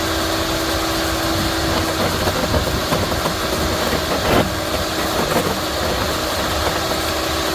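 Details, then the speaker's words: Yardworks electric garden shredder: steady high hum at full speed while a hard branch feeds in with crackling chews, running evenly; normal shredding of hard wood. "that last piece was a big, very, very hard piece. And did a pretty good job."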